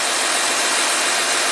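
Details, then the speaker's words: 2014 Audi Q7 TDI, engine running, air suspension compressor runs with a steady hissy drone as the front lifts; codes for over-temperature shutoff and valve switch-on duration, and the system sometimes gets stuck. "now you can hear the compressor run let's see what's happening outside it's definitely lifting up it's raising up the front"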